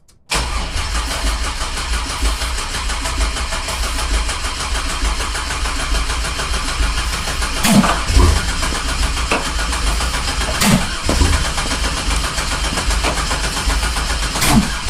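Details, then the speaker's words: 1987 Fiero GT with a swapped-in 3800 supercharged engine: steady fast cranking for about fifteen seconds with no firing, and a bad smell. Cranks but won't start; wrong firing order suspected. "Alright, stop. I smell not good smells. No, I think you got your firing order wrong somewhere."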